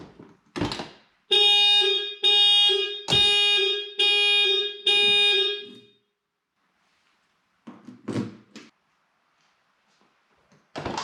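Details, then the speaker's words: 1988 Porsche 944 factory alarm after relay replacement and control unit board repair, with a replacement alarm horn fitted; loud steady horn tone in repeated blasts of about a second each, alarm horn working properly. "so now it's time to connect and mount the replacement alarm horn and test the system"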